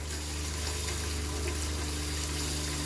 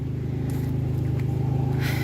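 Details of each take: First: Homestead 12V RV water pump running normally at first faucet turn-on after plumbing in 3/4-inch PEX lines: steady low hum with fast, even pulsing over running water; it works and shuts off as it should, just loud. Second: New 12V RV water pump on homestead 3/4-inch PEX system, cycling on more than expected with a small leak: low droning hum with a fast steady throb about eleven pulses a second; pump running rough, abnormal noise, cause unknown.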